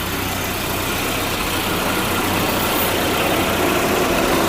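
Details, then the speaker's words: Volvo 740 after radiator replacement and cooling system refill, cold engine: steady, even idle with no chuffing or puffing from the exhaust side; sounds healthy. "That sounds a lot better. Let it warm up and top it up afterwards."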